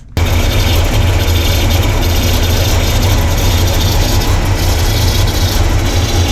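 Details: Carbureted V8 (1968 Pontiac LeMans or Chevy C10) restarted after advancing ignition timing: deep, steady idle with a hissy, airy rush on top. The PCV valve had popped off, causing a massive vacuum leak and noise.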